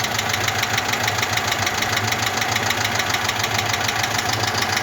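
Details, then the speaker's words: Cold Moskvich 2140 engine with a misfire, water in cylinder 2 and oil in cylinder 3; the oil pressure light comes on at idle when warm. Steady idle with a constant hard knock, about two per second; cause not confirmed. "Ну і стукот, звісно, грохот, можна сказати, стоїть. Взагалі капець."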